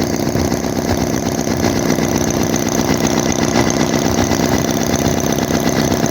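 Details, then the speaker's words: Chinese Holt H75 vintage-style 4-cylinder model engine, warmed up with the radiator hot, little smoke and only a slight misfire. It chatters at a steady even beat without stumbles: normal warm running. "even not much smoke oh my goodness that sounds happy now that it's warmed up"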